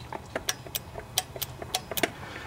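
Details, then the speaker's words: Cub Cadet LT1018 riding mower, Briggs & Stratton 18.5 hp Intek OHV single that won't start after storage: sharp dry clicks, engine off, as key turns on and off, showing the carburetor's anti-backfire fuel solenoid works. "turning the key on and off and you can hear it clicking so we know that components good"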